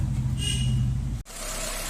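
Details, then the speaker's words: Car with heavy engine noise at start-up, after replacing the worn belt tensioner pulley: deep, even diesel idle with a steady low rumble and no squeal or rattle; engine now runs smooth. "वह change हो गया है और engine smooth हो गया है वह बहुत ज्यादा बढ़ जाती थी वह आवाज नहीं आती है"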